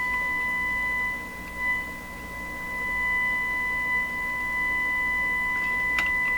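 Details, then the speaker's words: Stewart Warner R514 tube radio, 455 kHz test signal injected into the primary during troubleshooting of a suspect antenna transformer: steady high whistle with rough, warbly edge and extra overtone instead of a pure tone; distorted test tone, possibly hum. "Bad distortion. Sounds like a hum problem. Bad distortion. The warbly sound. Instead of sounding like a nice pure tone."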